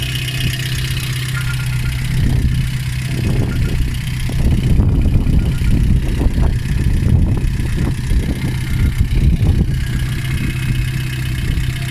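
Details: Lada 2114 1.6 8-valve engine idling with irregular low knocks over a steady hum, run during a cooling-system flush with citric acid and water, alternator belt removed; knock source unconfirmed, water pump suspected.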